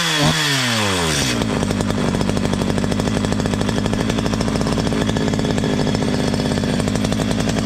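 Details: Stihl MS 230 chainsaw, owner complained of terrible noise, after tightening slightly loose exhaust; pull start, quick rev down, crisp even idle without rattle; only clutch drum washer play remains, normal.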